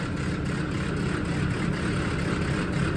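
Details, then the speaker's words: Farm diesel (JCB or Land Rover Defender) idling after a fuel filter change and priming: deep idle with an uneven, lumpy beat; owner says it has always idled like that, cause unknown. "it's always been like that since I've had it anyway any opinions put them down below what could be the lumpy garly Idol"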